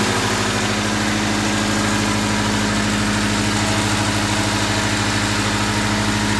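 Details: 1998 Honda Civic 1.6L, first run after engine replacement, distributor reconnected, some exhaust noise expected: steady even idle with smooth low hum and slightly raspy exhaust note; running pretty good.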